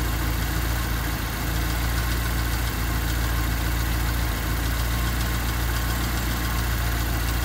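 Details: Honda D16Y8 (P28 ECU) with a low, lumpy, irregular idle that sags and nearly stalls after the gas is released; new spark plug wires and the cleaned, reinstalled IACV made no difference, cause still unknown.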